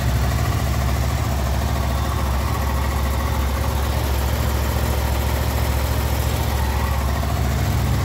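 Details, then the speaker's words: Honda VFR800 VTEC V4, 58,200 mileage, before cam chain replacement: steady low idle with faint loosely regular rattle about twice a second, heard mainly on the right side from the front cylinder; stretched cam chain slapping. "причем звук хорошо слышен с правой стороны в основном идет с переднего цилиндра потому что здесь практически его не слышно"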